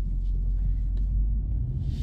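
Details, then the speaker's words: Infiniti M45 with replacement VK45DE of about 60k miles, fitted after the old engine burned oil; idling at a stop, low steady even rumble with none of the knocking heard earlier. Engine sounds quiet and healthy. "it's completely quiet it sounds really good too like it sounds healthy"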